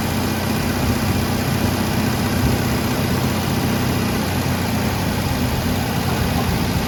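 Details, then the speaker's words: MGB under restoration, carburetors just refitted with new seals: smooth, even low rumble at constant speed with no hunting or misfires, no exhaust smoke. Healthy, settled normal idle. "Not jumping around. Looks like we got everything running good, pairing like a kitten. Sounds good. Idling perfect. No smoke coming out of the exhaust."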